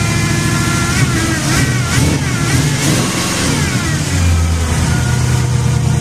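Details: Jeep on jack stands after exhaust donut gasket replacement, engine started with two throttle kicks: steady note with a couple of throttle blips, no puffing or ticking exhaust leak, runs clean and even.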